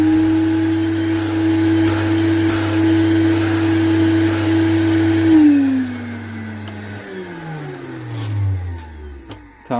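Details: Vacuum cleaner after repair and reassembly, test run: smooth, steady motor hum with no rattle or grinding, then an even wind-down when switched off; the motor sounds healthy.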